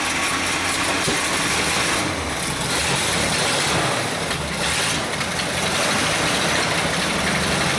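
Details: 1937 Buick limo, restored in 1980s and stored, thought to have last run in the 80s, 6-volt battery, started with a hint of starting fluid. Old straight engine idling unevenly but steadily with soft chuff and hiss, no knocks; holding idle.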